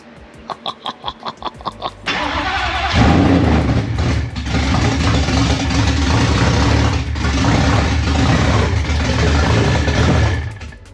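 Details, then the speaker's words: Supercharged Gen 3 swapped 1979 Fox body pace car with 10R80, first start with no tune whatsoever: several quick starter pulses, then a loud, deep, somewhat uneven roar that keeps running. "oh all right we got no tune yeah no tune whatsoever"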